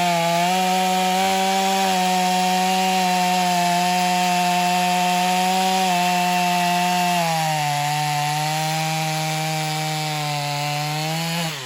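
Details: Stihl MS250 chainsaw test cutting wood after carb repair, tuned pretty rich for break-in, compression possibly a little low: high steady howl in the cut, dips slightly under load and recovers; pulls strongly, normal cutting.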